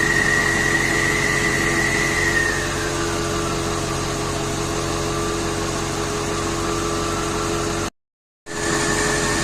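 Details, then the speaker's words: 2006 Ford F350 6.0 diesel running after the no-start with low ICP was fixed by replacing a missing IPR o-ring; steady constant drone with a faint high whistle that fades early, running smoothly: normal running. "I'm impressed so it's back together and running"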